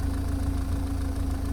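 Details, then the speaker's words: Engine warmed up after about 15 minutes idling following O2 sensor work, no warning light, manifold smoke gone: low, even, smooth idle, exhaust sounds good, though an unidentified mechanical rattle is noted underneath. "sounds smooth this all sounds good I've got some kind of something rattling under there I don't know what it is but mechanical rattling but exhaust sounds good sounding sweet"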